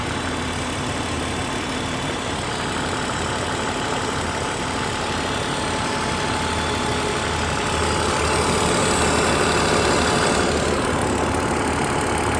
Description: My engine sounds like a diesel... Normal? I've read a lot that these engines are somewhat noisy but this is pretty noticable